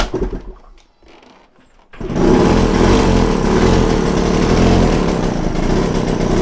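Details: Yamaha TZR 250 3XV two-stroke twin, other spark plug removed, running on one cylinder at raised, slightly uneven idle during rough air screw setup before resetting idle to about 1500 rpm.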